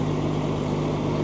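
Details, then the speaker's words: Old TR96 combine, diesel, 4-wheel drive, at idle just after a cold start: it fired right up and runs with a smooth, low, steady hum with no knocks or misses; normal idle. "All right. You know, fired right up. Sounds good too."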